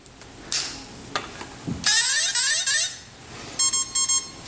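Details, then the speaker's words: SC10 RC truck ESC powering back on after reprogramming (maximum setting, reverse off), transmitter on first: short rising melody of high tones, then a quick run of evenly spaced beeps. Normal startup tones, fully programmed and ready. "That's where you see it, and you hear all these beeps. So that's where it's at, and it's completely programmed now and ready to go."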